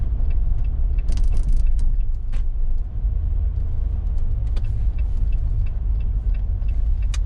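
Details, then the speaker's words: Jeep with larger tires, in-cabin test drive over bumps after a $5 PVC bump-stop mod: low road rumble, faint light ticks, no tailgate or spare tire rattle; before the fix it was pretty bad. "I'm liking little to no sound at all in the cabin from any type of bumps. Before, it was pretty bad."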